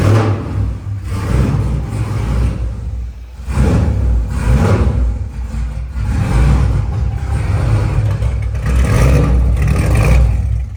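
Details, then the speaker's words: LS V8-swapped Nissan S14 with custom straight-pipe exhaust on its first drive around the block, tune running too rich: the V8 surges and sags unevenly through the loud open exhaust, never pulls cleanly and seems to stall; rough running and stalling. "it does not run good at all oh did it stall I think it's stall"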